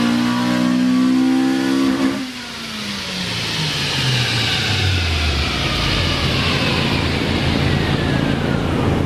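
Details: 2000 Honda Civic Si (EM1) with the stock B16A2, before the B18C swap, making a repeat full-throttle dyno pull; the note climbs steadily to a high scream, then falls as the throttle closes, clean and healthy, about 139 hp.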